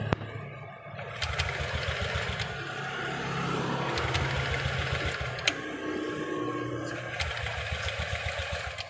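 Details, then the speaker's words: New Honda Beat LED Deluxe scooter that died, with code 7 history and check engine light on; speedometer and hum are normal. The electric starter churns steadily for several seconds but the engine never fires. "Tapi ini motornya tidak bisa hidup, Mas Bro."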